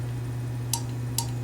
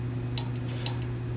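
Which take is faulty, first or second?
first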